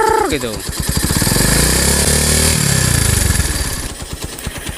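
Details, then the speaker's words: Honda motorcycle (Megapro/Tiger) at about 3/4 throttle, 3000 to 5000 rpm, after wrong engine oil; harsh rattly clatter rising with revs and easing as they drop, from worn piston and piston rings, engine teardown needed. "ini ditimbulkan dari satu yang jelas ini yang bermasalah di bagian sehernya baik itu ring seher ataupun sehernya yang karet"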